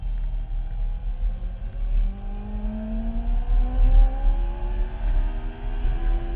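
Engine rumbles and revs unevenly, pitch climbing and wavering without settling; something is off in how it runs, cause unclear.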